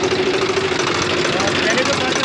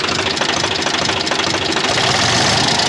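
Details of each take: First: Swaraj FE tractor diesel after tappet (valve clearance) setting, loose tappet being the cause of earlier tar-tar ticking; steady idle with an even beat and no sharp tapping; valve clearance sounds correctly set. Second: Swaraj FE tractor diesel at idle: loud, fast metallic tappet ticking about three per second over the idle; valve clearance too loose, blamed for the tractor bogging under load and high diesel consumption; fix is tappet adjustment.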